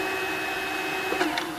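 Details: Supra SV-80 VM55 TV/VCR combo, quick-start deck, colour bars test tape with speaker off, button held in reverse search: steady mechanical whir with high thin tone and faint tape chatter; normal reverse search.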